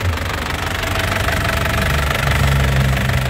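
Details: Isuzu Panther LV Turbo 2012 common-rail diesel, low km, engine described as sound with no blow-by, no oil seepage and a dry exhaust: steady, even diesel clatter at idle with a low, smooth rumble and no misses; normal healthy idle.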